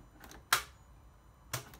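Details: 2011-12 Ford Focus 1.6 diesel, key turned: two sharp single clicks about a second apart with no cranking; solenoid engages but starter never turns, intermittently worsening to no start; engine earth voltage drop tested fine, about half a volt.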